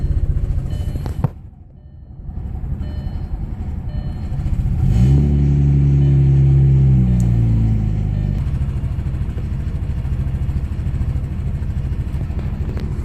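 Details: Audi B5 S4 cold start misfire: uneven, lumpy cold idle with a brief rev swelling and dropping back, low beat stumbling irregularly; cause suspected, not confirmed.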